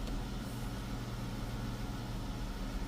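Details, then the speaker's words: Chrysler 300 3.6 V6 after oil cooler housing and line replacement, codes cleared, oil pressure 83 psi: low, smooth, steady idle with even firing, no misses, ticks or surging; sounds okay, no code, sensors to relearn on a drive. "It's false. Okay. Sounds okay. I'm gonna have to go for a drive and then Check it out. But there's no code."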